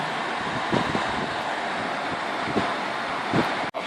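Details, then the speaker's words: Evaporative cooler fan after DIY repair; it was loud from a knocking part before. Running on speed 3, it gives a steady even airy whoosh with no rattle or buzz. Normal, quiet fan running. "เปิดนะครับนี่เบิร์ดเบอร์3เลยครับเนี้ยมีเสียงเงียบแล้วไม่ดังแล้วนะครับ"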